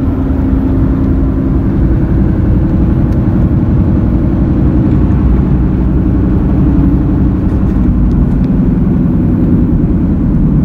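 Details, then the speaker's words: Car roaring/helicopter noise at cruising speed, changing slightly through right and left turns; front wheel bearings replaced (left driver's side suspected) but sound remains; defective tire causing roar. "so we changed that one out and the sound is still there so i'm gonna take a second look at the tires"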